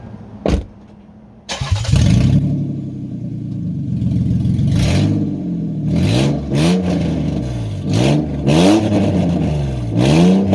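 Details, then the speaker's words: 2001 Lexus RX300 with catalytic converters removed, exhaust open at the manifolds: loud, raw, unmuffled blatting as revs rise and fall in quick blips. "i had to take off my catalytic converters to do some exhaust work and so right now all i have are the exhaust manifolds coming off the engine"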